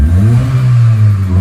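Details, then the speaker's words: 2002 Mitsubishi Lancer OZ Rally, previously dying on acceleration; after new fuel filter, MAF, TPS and IACV and ~10 minutes idling with idle screw fully closed: steady deep drone under throttle, no stumble or dying. Normal revving. "it's not bad she sounds good though like I pushed the gas down and she doesn't"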